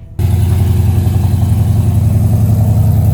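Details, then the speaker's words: Custom 1971 Plymouth Cuda (E-body) V8 just started after a 3-second electric fuel pump prime. Steady, deep, even rumble with no ticks or rattles through the welded exhaust for 3-inch collector headers; healthy idle. "We weld it up, put it on, we're done. And that's why it sounds great, doesn't rattle."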